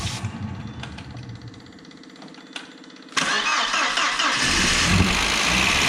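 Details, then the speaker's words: Audi A4 1.8T barn find, 144,000 miles, after long storage: starter churns unevenly about three seconds, then catches and revs rough and loud on starting spray alone; fuel pump not working, so engine runs only on starting fluid. "we were absolutely Overjoyed yesterday that we got the A4 run it's just giving us so much hope with this car um it's a shame the fuel pump wasn't working"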